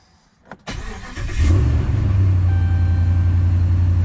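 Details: 2009-2018 Ram 1500 after engine rebuild, second post-build service with AMSOIL oil and filter change: short crank, catches and holds a smooth, deep, steady idle; oil pressure builds as quickly as usual, healthy.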